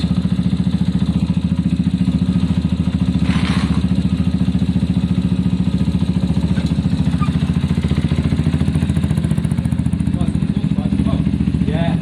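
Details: Zontes single-cylinder motorcycle after fixing a bad idle/cutting-out problem, warmed up: even fast thump around three and a half beats a second, holding steady without stumbling or cutting out; problem solved.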